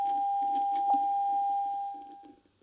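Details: Tube radio during RF alignment, signal tuned to 6.1, listening while adjusting the oscillator coil: a steady whistle near 800 Hz holds, then fades within a second as the coil is detuned off frequency, losing the tone.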